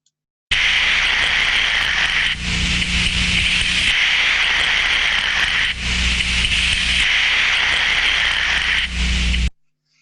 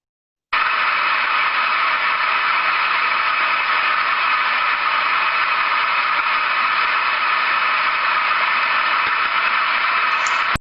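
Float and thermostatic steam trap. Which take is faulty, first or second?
second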